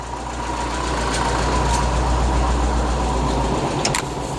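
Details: Classic VW Beetle with added electric A/C, idle raised to keep battery voltage up: steady, even idle with smooth regular beat, no knocks or misses; normal.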